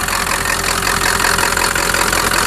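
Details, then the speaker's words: 1997 Ford F-350 diesel pickup with swapped-in engine that sat 10+ years, just revived and running: steady even diesel clatter with dense high tick, a little gallopy, no knock or miss; idles acceptably, normal idle. "Seems to run okay. No big problems. I think that's a win."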